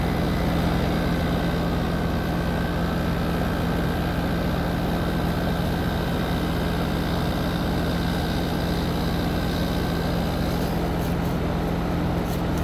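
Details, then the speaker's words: Heat pump outdoor unit just after replacing the start and run capacitors, about mid-60s°F outside: steady low compressor hum with an even fan whoosh, no clicking or rattling; compressor running normally and the line is cold. "all right so the sides closed up we can tell it's working because we can hear the compressor running"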